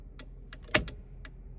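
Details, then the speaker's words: Jeep TJ with LED tail lights and an aftermarket LED flasher relay: sharp relay ticks come unevenly, bunched then spaced, with phantom extra flashes; the relay worked briefly, then began adding extra ticks, also on the hazards. "special fancy LED flasher which worked for a short time and then started getting weird on me it's seems to be behaving right now but you hear that Phantom Flash in"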